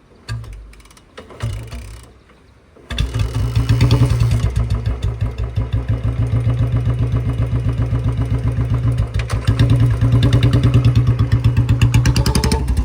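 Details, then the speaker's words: Royal Enfield Bullet 350 ridden after chain lubrication plus clutch and brake lever lube: steady thumping single beating about four times a second with no chain rattle or slap; chain noise now gone, drive quiet. "अब आया भाई मज़ा, बिल्कुल 0-0 sound हो गई चैन की।"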